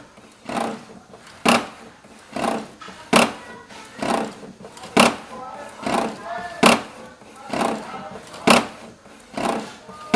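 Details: HP 7612 printer printing an A3 sheet: loud rasping bursts repeating about every second and a half, occurring only with A3 printing while output looks normal; abnormal noise of unknown cause.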